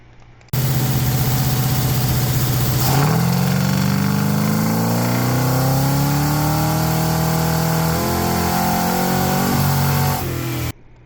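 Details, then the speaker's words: 1974 Plymouth Barracuda, 383 big-block Mopar with ACES Killshot EFI on dyno at wide open throttle: revs climb, stall briefly as fueling fizzles out, then it dumps fuel and surges on; false limiter from fuel cut, later fixed by firmware update. "And what you're going to see on the video is it's going to kind of fizzle out on the fueling. You'll hear the RPM just kind of stall, and then all of a sudden it dumps a bunch of fuel and the RPMs continue."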